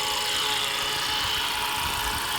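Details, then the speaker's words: 2015 Honda Accord, engine at idle (also when accelerating): steady high supercharger-like whine for about a month, traced with a stethoscope to a worn belt tensioner pulley bearing. "right so it's making this crazy whining noise I don't know if you guys are able to hear it I'm gonna get closer and I suspect that it's this way that's right here which is actually a tensioner pulley"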